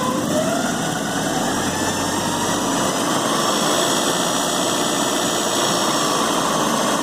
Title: 1986 Porsche 944 NA - Rattling Sound in Engine